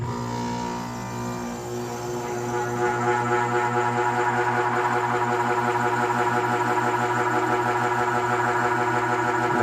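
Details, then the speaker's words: Central AC outdoor condensing unit that stopped cooling, measured with an amp meter at power-on: loud, pulsing humming drone as the condenser fan motor struggles, drawing little amperage; a defective dual capacitor and failing fan motor were replaced. "That fan is definitely struggling."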